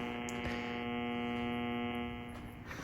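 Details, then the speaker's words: Radio picking up interference on AM band through a short indoor antenna connected directly to the radio; constant buzzy hum with harsh rasping edge, severe around 600 kHz, caused by a household light dimmer. "the noise that is in the air definitely is you know becomes pretty serious and debilitating right around 600 now this is due to the dimmer"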